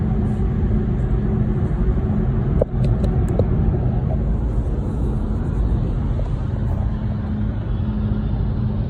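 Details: Volkswagen e-Golf driving with a steady low rumble and faint droning hum under the road noise; source of the rumbling noise still unknown.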